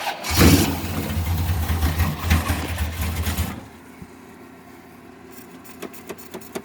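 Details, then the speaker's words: Donor Corvette: runs rough and uneven with a little squeaking, won't pick up, then dies; owner suspects it is running out of gas, not confirmed. "She might be running out of gas. I can't promise. I mean, it is down. It don't act like it's picking it up too good, does it?"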